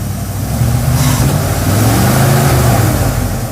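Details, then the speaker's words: Circa-1975 Dodge pickup with a 360 small block, sat about 15 years: engine revs freely and rises under throttle but the truck won't move, transmission smoking; it sucked down all its fluid, so no drive from low transmission fluid. "we're not moving I know we're not even frying we do have a flat tire but um let me go trying transmission oh the transmission is on fire fail that's nasty oh it needs fluid"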